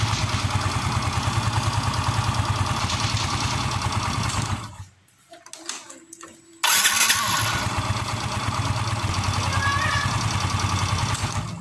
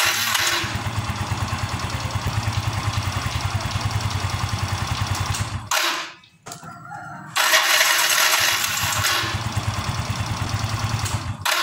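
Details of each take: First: Yamaha Mio M3 after cleaning residue from the starter/dynamo that caused growling at start and shutdown: small engine idles steadily, shuts off cleanly without growl and restarts straight up; noise gone. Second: Yamaha Mio M3 scooter idling evenly, then a rough, grinding growl when the starter is used and when the engine is switched off. The starter motor is fouled with brush dust.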